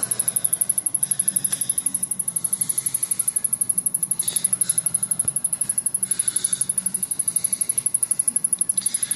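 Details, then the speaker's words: Samsung rear projection CRT television, main power board not firing: steady fast high-pitched ticking, six or seven clicks a second, as the power supply keeps clicking off and restarting; no internal fuses blown, owner suspects something shorting, later smoked under the board. "so you can hear it when it clicks off and then it starts back up again just think of it as a car that not starting up cuz the starter isn't operating but something in here isn't isn't firing"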